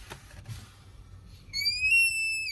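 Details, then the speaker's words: Ford F550, brake pedal pushed hard: faint hiss turns into a loud high whistle, like a child screaming under the dash, for about a second; vacuum leak at the vacuum brake booster causing squeal and reduced braking performance. "We start leaking vacuum and it causes that squealing sound. And it also hinders brake performance."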